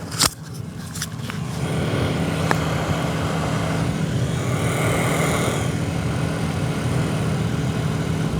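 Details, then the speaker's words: Non-working AC blower motor, key on, set to max, runs only after being smacked: sharp thumps then a steady whir, indicating a bad blower motor. "Now that's how you can tell if you have a bad blower motor"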